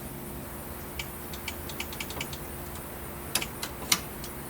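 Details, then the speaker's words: Nissan 240SX at key-on after reconnecting ignition switch wiring, engine not running: several light, scattered clicks as relays pull in, which is normal. "moment of truth look like the battery in first that's a good sign I can hear some relays kicking on"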